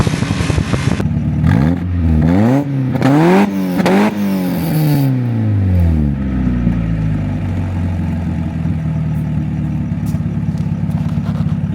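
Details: NA Mazda Miata run on cooking oil instead of engine oil, smoking; engine revved hard up and down with rising, falling howl, then uneven idle; bearings at risk.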